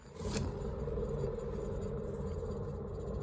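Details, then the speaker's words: Crashed race car after Snetterton, with a failed wheel bearing the car was hobbled on for the last hour. Turning the hub gives a low, rough, gritty grinding rumble throughout; the bearing is worn out. "so yeah this was the wheel bearing that wayne managed to hobble it down for the last hour"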